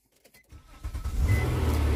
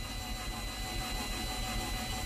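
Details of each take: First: Nissan Maxima with 190,000 miles and check engine light, listed as run and drive: brief crank, catches at once, settles into smooth steady idle with no misses; normal engine start. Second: Auction car listed as running and driving, under 100,000 miles, plenty of gas: starter churns the engine over steadily but it never fires; crank no start, suspected no compression or broken timing belt, not confirmed.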